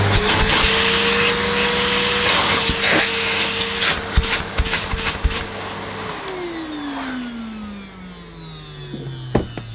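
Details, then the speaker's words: Early-1990s Hitachi CV-790 Powerhouse bagless vacuum run with the bagless compartment off, so louder than normal: loud steady motor whine, then a long slow falling coast-down after switch-off; motor healthy and working fine. "Should I turn it on? It's going to be a bit noisy. A lot noisier without the bag compartment on, or the bagless compartment on."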